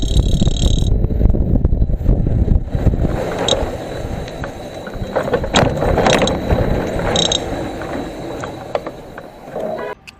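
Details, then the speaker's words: Electric scooter hub motor spun free gives an irregular metallic knocking and rattling, about two a second; freewheel already ruled out by removal, the loose motor cover is knocking. "那个异响声特别像这个敲电机的声音。就是这个电机盖的声音，就是它。"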